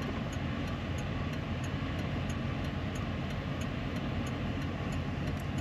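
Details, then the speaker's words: Van (Marius) in neutral at idle: sharp, light ticks about three per second in time with the engine while battery voltage fluctuates at the same rhythm; owner suspects a belt or rubbing noise, cause not identified. "la batterie la tension à sautille et c'est au même rythme que le bruit du moteur comme s'il y avait un bruit de courroie ou de frottement"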